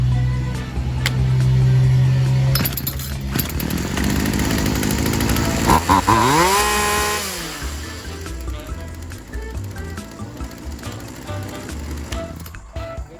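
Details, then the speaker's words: Poulan Wild Thing 2375 chainsaw after new gas lines and primer bulb and carb adjustment that balanced the air and fuel mixture: revs up cleanly, holds, then drops back to an even idle without bogging. Normal running. "So once I was able to adjust this, it equaled out the air and the gas mixture. And then now I was just getting that fine tuning in where it would just do what it had to do and not mess around."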